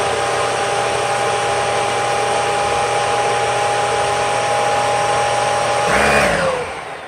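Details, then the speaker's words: Dyson DC41 with Ball Animal 2 head, all filters in, brush roll off, airflow box test at 51.3 CFM: steady airflow roar with a faint whistle starting underneath, from vibrating folds in the HEPA paper filter pleats. "You can hear just a little bit of that whistle starting. Wasn't too bad though."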